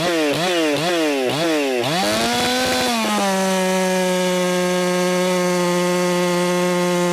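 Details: Ported, muffler-modded Echo 4910 chainsaw after in-cut tuning, richened slightly from 15,000 to about 14,800 rpm: a few quick blips, then a clean, steady high-pitched full-throttle scream without sag or burble; normal, strong running.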